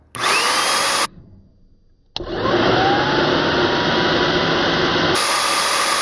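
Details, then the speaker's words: Bissell vacuum cleaner motor run with impeller cover off, held down by screwdriver: loud high rising whine, cuts out, restarts and holds steady; runs normally, much louder uncovered, motor warm afterward. "hey you can tell that's very loud it's way louder with that"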